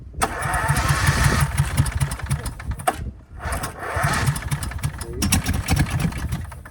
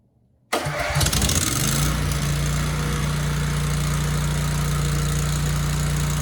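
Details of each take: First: 24-year-old Generac 10000EXL generator with a Briggs V-twin, unrun for 8 years, started on choke. Two bursts of cranking chug unevenly but never catch. It is a hard start; miswired ignition with no spark was later found. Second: Generac 10000EXL with a Briggs V-twin, 24 years old and unused for 8 years, after flipping the magnetos to cure no spark: starts first crank without choke into an even idle. It then shut down, light never lit; cause unconfirmed.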